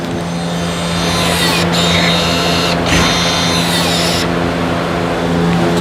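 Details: 2015–2017 Subaru Legacy electric parking brake leaving scan tool maintenance mode after new pads installed, ignition on, engine off: steady motor whir with faint high whine, then settles. Normal electric parking brake apply.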